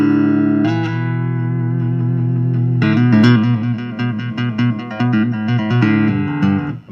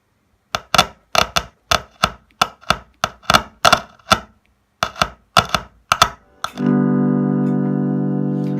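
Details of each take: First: Laney LA60C solid-state acoustic guitar amp, 90s, passive electric guitar through passive input: clean chords and notes, no hum, crackle or hiss; phase, chorus, parametric EQ, treble and reverb work fine. Active input had been cutting out. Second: Laney LA60C solid-state acoustic guitar amp, active instrument input: strumming suddenly cuts to silence, then a chord rings on. The active circuit is suspected of cutting out; the passive input seems okay.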